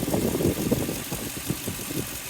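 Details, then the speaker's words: 2003 Toyota Tundra 4.7 2UZ-FE V8 after timing belt and water pump replacement. A quiet idle carries a soft rhythmic wow-wow pulsing several times a second; the owner suspects a pulley, cause unconfirmed. No check engine light and no overheating. "Definitely like a little bit of a weird sound. It's almost like a some like a pulley or something"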